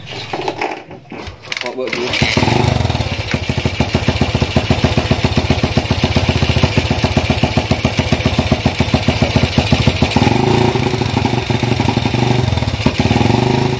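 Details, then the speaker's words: Honda CB single-cylinder motorcycle with PWK 30mm carburetor: fine at low rpm, but on throttle runs rough, stumbling and popping; jet setting suspected wrong, rich jetting. Misfire and popping under throttle. "namun setelah kita gas itu ada indikasi seperti meledak atau brebet lah intinya seperti brebet seperti itu dah"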